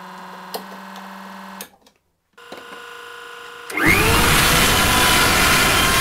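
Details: DIY gas turbine P17 on its first start-up after a spark plug check: quiet ticking, a pause, then a rising whine that bursts into a steady loud rushing roar as the turbine lights and holds speed; normal running.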